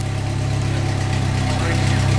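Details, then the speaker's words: Jeep after rear axle repair to cure a rear rumble: in gear in the cab working gear lube into new bearings; smooth steady low drone, no whine, grind or clicks, healthy; 4.11 gears, Thrush muffler fitted. "Sounds beautiful. He's got a thrush muffler under there, which I absolutely hate, but yeah, we're going to take them down off of there and go for a quick ride."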